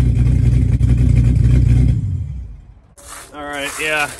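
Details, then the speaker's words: 1966 Chevy C10 with LS swap, newly fitted Flowmaster 10 Series mufflers replacing Cherry Bombs, warmed up and revved: deep, even V8 rumble that swells with throttle and settles back smoothly, no leaks or misfire. "I got to say I think that to me that sounds a lot better than the Cherry Bomb so I'm pretty happy with that"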